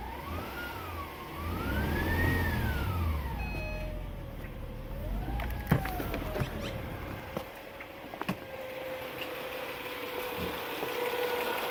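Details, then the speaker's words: 2010 Acura TL base model petrol engine at idle; steady mid-pitched whine apparently from the engine bay; source not identified. "Sounds like it's coming in here. It's the whining noise. I'm trying to figure out what it is."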